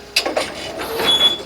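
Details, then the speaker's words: Brunswick GSX pinsetter sweep wagon, before lubrication, running the sweep: sharp squeaks in bursts as the sweep moves with one short held squeal; reported squeaky noise, suspected dry pivot point rather than the wagon rollers. "today's issue the note on the board is that this sweep wagon makes a squeaky noise when it runs"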